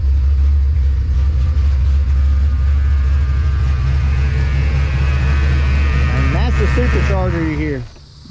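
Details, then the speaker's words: Supercharged Fox-body Mustang V8 that sits for long periods then starts and runs well; smooth strong rumble with steady faint supercharger whine like a power steering pump, even throughout. Healthy running. "supercharger sounds like a power steering pump like wine kind of almost it's weird but uh it's just crazy to me how this thing can sit forever and then just bust off and run good"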